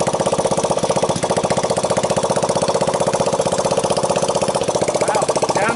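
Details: 1985 Honda ATC 200X junkyard three-wheeler after a cold start on starting fluid, camera on the tire. Steady, even single-cylinder putter with no valve tick, timing chain slap or bottom-end knock. Normal idle.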